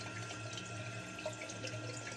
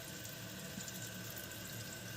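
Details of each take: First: Kohler toilet running nonstop: water keeps hissing and trickling into the bowl, tank bleeding through; owner first suspected the gray wax ring, then found the leak at the yellow rubber canister flush valve seal (gasket), replaced as the fix. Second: Kohler toilet with a canister flush valve, after replacing the canister seal gasket to fix a running toilet: steady, even hiss of water refilling the tank with no surging. The tank appears to be holding water; normal refill.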